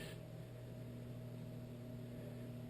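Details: Whitfield pellet stove 1 RPM auger gearmotor running: steady quiet hum, even low tones, no knocking, clicking or grinding; turns freely and smoothly.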